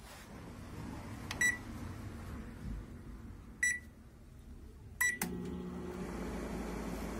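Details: Daewoo microwave oven after repair of an uncommon fault where it shut off instantly (door switches and misalignment), tested heating water: three short beeps, then a steady, even low hum with no cutting out; running normally.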